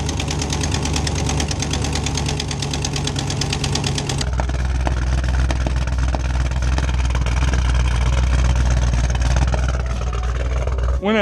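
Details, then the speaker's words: 2010 Camaro SS V8 with BTR Stage 4 cam, long-tube headers and Borla exhaust idling with loud rapid ticking and an uneven beat from a blown header gasket exhaust leak plus a misfire. Fixed with a new gasket and spark plugs. "so i blew the exhaust manifold gasket header gasket whatever you want to call it on this side so we've got a huge exhaust leak"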